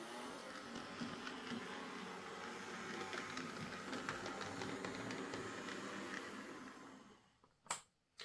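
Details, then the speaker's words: Hornby J15 model locomotive, bought new a couple of years ago, slow and noisy since new; first run before repair: quiet steady high whirring whine with fast regular flutter, then stops; noisy motor. "It is a bit noisy though, it's making a sort of a whiny, whirring sound."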